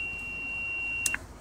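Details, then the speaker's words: Radio receiver on lower sideband, one channel up from 24.5450 MHz, signal over 20 dB: a steady, thin, high whistling tone ending in a short blip. It is an unexplained carrier heard only on LSB, with nothing on USB, AM or FM. "it's only on lower sideband and it's a very distinct tone or i don't know what to call it really a tone a ring uh not sure but it's only on this frequency"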